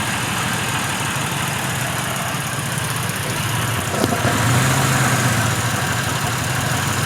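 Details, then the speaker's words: Pontiac Grand Prix, warm with the heater blowing hot, idling unevenly with an irregular low thump about four beats a second; still misfiring, not throttle position, PCV valve had been left unplugged. "the heater's blowing nice really hot but it's just still [ __ ] misfiring it's not throttle position i can hear the throttle body clicking"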